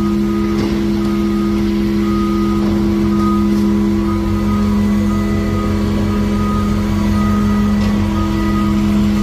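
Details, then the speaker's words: Telescopic lift on a dump trailer raising a load of just under 5 tons in cold weather, with a battery drained after two weeks of sitting: a loud, strained, steady whine. The pump is labouring under the heavy load, and the battery then died. "I can definitely hear it whining now it's not liking on the skinnier"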